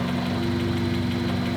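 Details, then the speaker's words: Honda K24 K-swapped Nissan 240SX idling with a fast metallic buzzy rattle over the exhaust drone and an exhaust leak; remained after removing the lower heat shield, traced to a damaged exhaust flex pipe bellows. "So we had a bit of an exhaust leak and a rattle. So you can hear it rattling away down here."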